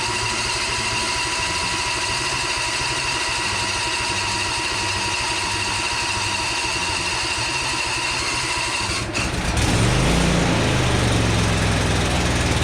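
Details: Husqvarna Z246 zero-turn with Briggs & Stratton V-twin after governor adjustment and oil/filter change: steady, even idle with smooth pulse, then picks up to a fuller, louder run; engine running normally.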